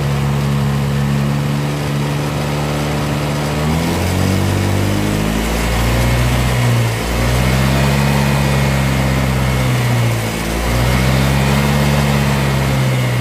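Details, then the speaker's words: Vario 125 fuel-injected scooter, intermittent stumbling despite normal fuel pressure and clean scan; fuel pump suspected, water in tank suspected: revs rise and fall with brief sags, hesitating, won't take throttle. "Vario 125 tidak mau di gas brebet nyendat-nyendat"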